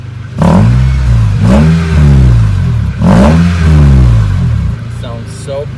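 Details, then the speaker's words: Acura RSX (Integra) after its exhaust was welded and it passed inspection with no check engine or airbag light: two quick revs climb and fall smoothly, with a deep, even, sealed exhaust note and no ticking or rasp. "so the exhaust is fixed they ended up welding the exhaust and listen to it"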